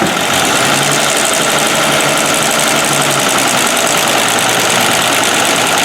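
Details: 1969 Land Rover Series 2a six-cylinder, rear cylinders previously misfiring: steady even idle, no missing beats; rear cylinders now firing, running smoothly.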